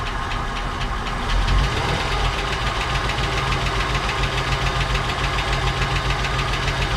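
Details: 1959 Cadillac project car, unstarted for 11 years, first run with little fuel: uneven ticking about three per second over a lumpy idle; noisy top end, cause suspected, not confirmed.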